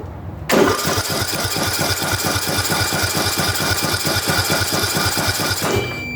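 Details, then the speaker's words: Ariens/Husqvarna riding mower engine spinning fast and evenly on the starter for about five seconds with weak puffs and no firing; compression about 45 psi against 90+ good, leaking down; the head gasket was later replaced. "it's leaking down and uh we only got to about uh 45 or so and these really anything above 90 is good but uh so we have a problem with compression"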